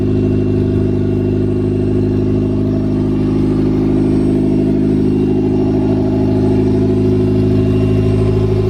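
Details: Nissan B13 Sentra, freshly rebuilt GA16DE on first start, OEM fuel pressure regulator refitted: settling into a steady, even idle with a slight rise in revs, no knocks or ticks; healthy.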